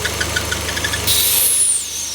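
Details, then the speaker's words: Citroën C4 Lounge at idle, at first thought to be a gearbox noise, with light ticking and then a sharp hiss like a slipping belt near the oil cap. The cause is a vacuum leak from a torn breather membrane inside the cap. "Então essa tampa aqui vai uma membrana que trabalha com vaco e ela furou essa membrana aí faz esse barulho aí ó como se fosse Correia faando"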